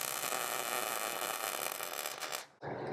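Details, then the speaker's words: MIG welder set very hot, welding around the inside of a 1968 VW custom's dash: loud, steady frying crackle like bacon for over two seconds before a short break; running hot and smooth. "So I'm going to set this welder really hot. And I'm going to work right around the inside of this."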